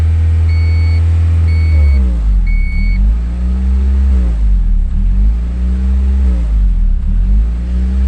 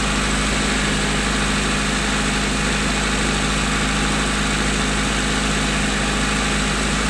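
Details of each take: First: 1992 Honda Accord after timing belt and water pump work: idle surges and sags about every two seconds once a part is unplugged. Hunting idle; the idle air control valve is suspected and was then cleaned with carb cleaner. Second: 1992 Honda Accord after cleaning the idle air control valve with carb cleaner, warming up: even, steady idle with smooth low rumble, high but consistent, no hunting or surging.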